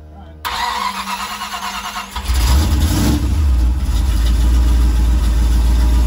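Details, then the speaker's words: Small-block Chevy V8 after replacing an offshore oil filter adapter with a Transdapt adapter (Ford PH8 filter) to fix an oil leak and an oil pressure problem; cold start: short crank, then deep even rumble, no knocks. Oil pressure 50, filter dry, leak gone; warming up to check pressure. "excellent 50. nice now we'll let it warm up a little bit and uh we'll see if the oil pressure drops"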